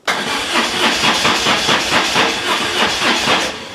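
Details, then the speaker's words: BMW R1150 GS motorcycle with starting and battery drain problems: starter cranks steadily with even compression pulses, about four a second, but never fires, cranked until the battery drained; hall effect sensor or its wiring suspected. "spoiler alert then I didn't actually get the bike started I kept trying to start it up but it would not and I I just kept on and on until I drained the battery"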